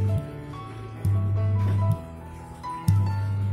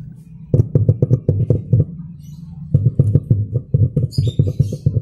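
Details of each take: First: Old Simbada 2.1 active subwoofer speaker: a loud steady low hum cuts in and out as the amplifier is switched on and off, a mains hum fault. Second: Old Simbada 2.1 active subwoofer speaker after replacing the main power-supply electrolytic capacitor: bass music plays cleanly with no steady hum in the gaps. The hum fault is fixed; the amplifier ICs were fine.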